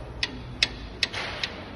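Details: 2020 Ford Ranger 3.2 suspension: sharp, crisp clicks about two and a half per second on a quiet background; suspension knock, control-arm bushing suspected, shock absorber to be tested.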